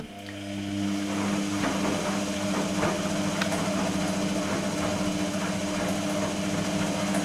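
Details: Electrolux-Rex RWP 1273 TFW washing machine in its 60°C energetic wash phase: steady motor hum and water sloshing through long drum rotations with short pauses, plus a faint ticking alongside the rotations; normal wash tumbling.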